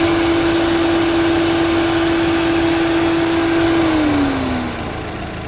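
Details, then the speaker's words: 2005 Chevrolet Astra that overheated, after fan relay replacement, idling at 221°F: both cooling fans run at high speed, steady rushing whoosh with even hum dropping in pitch as temperature falls; normal fan operation. "221 grados se escucha como gira mucho más rápido [Música] ambos ventiladores giran [Música] comienza a bajar la temperatura"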